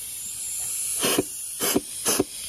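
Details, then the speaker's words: Transmission air pressure check: short bursts of sharp hissing as air escapes while applying the forward clutch port, a leak in that circuit that could cause delayed engagement. "you could hear the air leaking escaping inside so there is a uh a leak somewhere with the application from this port to the forward clutch"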